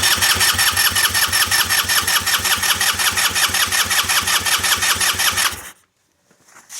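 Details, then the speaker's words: 2007 150cc GY6 scooter, parked since 2016, after RTV repair, fresh fuel and oil, priming fuel system with carburetor not yet cleaned: starter spins engine in even chugs about three a second for five seconds, never fires; cranking no-start. "give the starter a little bit of a break so we're getting some fuel moving I don't know if we got any on the output side yet that's pretty fogged over and hard to tell"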